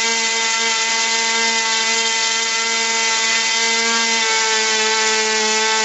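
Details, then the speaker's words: RC airplane glow engine at full throttle after high-speed needle adjustment: steady high scream with a high whine and intermittent low pitch; double pitch indicates lean, needle backed off slightly richer for correct mixture. "bit right there you should hear almost two pitches a high wine and intermittent low pitch and that's starting an RC engine"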